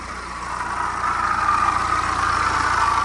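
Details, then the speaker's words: BMW 1 Series 118d diesel at idle, before the belts, pulleys and water pump were replaced: a steady, gravelly whirring from the belt end that swells slightly and vanishes with the belt off; worn water pump bearing. "And that's coming from the belts, because we took the belt off and let it run and you couldn't hear anything. So one of the pulleys on there is making a racket."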